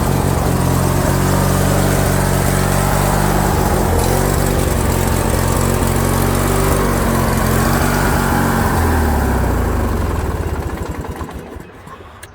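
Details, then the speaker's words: Craftsman lawn tractor with a Briggs & Stratton opposed twin engine and non-adjustable carb, before repair: engine beat drifts up and down in pitch, then dies on its own when throttled down. Surging from clogged carburetor jets. "so here's the tractor guys I'll start it up so you can hear that surging then I'll show you the solution to stop that surging"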